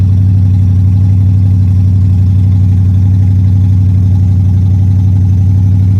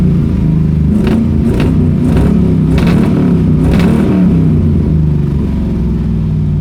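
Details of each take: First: Pontiac Strato Chief with a new homemade exhaust and the original straight-six radiator: deep even idle rumble pulsing about four times a second, no knocks or misses; running better than before, though it previously tended to overheat. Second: Pontiac Strato Chief with new homemade exhaust, much quieter than before, running unevenly with sharp exhaust pops about once a second; backfiring because it is out of gas.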